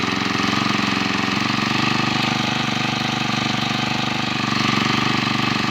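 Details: Eight-year-old four-stroke lawn mower/brush cutter that wouldn't start, after new carburetor fitted and ignition coil cleaned: small engine buzzes at steady fast idle with even beat, no misses or stumbles; running normally.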